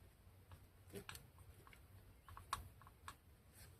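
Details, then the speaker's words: Bolens 38-inch tube-frame mower deck model 18418 spindle reassembly: faint irregular clicks every half second as bearing is rocked by hand; bearing slips in too easily with play in worn spindle housing. "And not going to be able to pick this up on camera, but there is a tiny amount of play. Maybe you can hear it if I shut my mouth."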